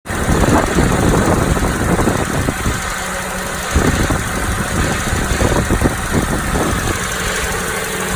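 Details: Toyota Noah 60-series engine at idle, heavy wind noise: uneven gravelly metallic rattle, not ticking, from engine centre not alternator side, louder in cabin; flushing and OH+ gave no change. Cause unknown.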